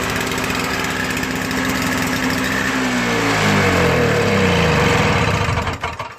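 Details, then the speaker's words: Toro Snow Commander 38602 single-stage commercial snowblower with electric start (starter gear stripped) runs briefly, pitch sagging and wavering, then dies within seconds; stall from stale brown, coffee-like gas, owner also suspects fuel line; fix is draining the tank and cleaning the gas lines. "the problem I think is just I think it might be a fuel line problem or it could be bad fuel I was looking at that fuel inside the things like brown"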